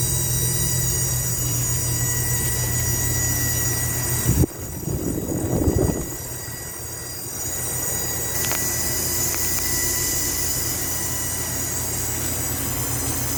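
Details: Goodman AC condenser running: steady high-pitched squeal over the fan hum that stops when the coil is wetted; owner rules out the fan, suspects valving or compressor. Squealing noise.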